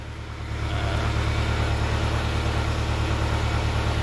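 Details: Kia Carnival diesel, hard to start in the morning, ABS light on, thick smoke, turbo okay: rough idle with an uneven, lumpy pulse and extra clatter. One cylinder misfires from a leaking injector clamp.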